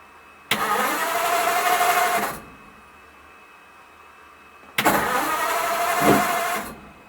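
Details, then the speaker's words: 1941 pickup that would not start after mild weather and heavy overnight rain soaked the engine. After five minutes of compressed air and a heat gun on the distributor, it cranks and catches in two short rough bursts, steam rising off the manifold; now starts. "hey it started okay [Music] get the uh stem coming off the manifold look okay that's good it's running"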